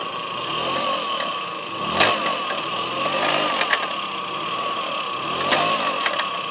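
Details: '94 Tomos two-stroke making a weird noise: buzzy, uneven running with a wavering high tone and sharp ticks about every second. Abnormal engine noise, cause unclear.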